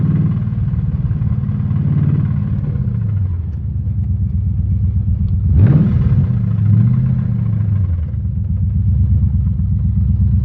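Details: LS3 engine with two spun rod bearings: a heavy low rod knock under rough engine rumble, getting louder as revs rise.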